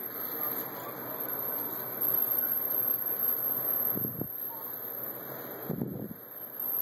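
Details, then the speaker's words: Sony/Vizio VW26L 26-inch TV with power supply fault: faint constant very high-pitched whine from the power supply, no picture, screen flickering; takes about 10 minutes to come on. Suspected blown capacitors, later replaced. "This is still making really high-pitched noises. And as you can see, still no picture."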